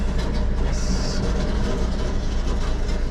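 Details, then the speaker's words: Honda driven slowly: continuous rough rumbling scrape with road noise as a thin metal splash shield drags on the ground underneath; loud but harmless. "It sounds much worse than it is, obviously. It's just the splash shield dragging, but it just sounds crazy because it's a thin piece of metal dragging, so it's like amplifying the noise."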